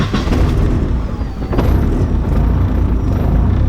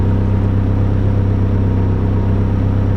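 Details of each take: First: E85 engine, now slightly warmed up, with a tuning table changed back to replicate the problem: right after firing, idle surges and dips unevenly before settling into a lumpy hunt, showing idle speed oscillation. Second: E85-fueled engine with VVT table set to zero cam angle: catches and settles straight into a smooth, steady idle with no hunting; VVT stays locked at zero through startup and idle.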